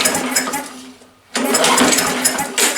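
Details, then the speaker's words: Yard Machines mower, 158cc Briggs & Stratton; primer bulb stuck on, two recoil pulls spin engine with good compression but no firing; later fired on starter fluid, suggesting fuel problem. "but absolutely no signs of life so I guess the first thing we got to do is see if this is a fuel problem or or what's going on with it"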